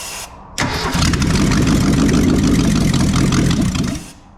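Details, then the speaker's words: 1983 Mercury Capri RS 5.0 V8 that sat over 20 years with a frozen motor, now cranking and firing strongly on sprayed brake cleaner for about three seconds, then dying; one plug had a zero gap earlier. "All right, let's try this again. I'm going to use a little brake cleaner for fuel. It's atomized better."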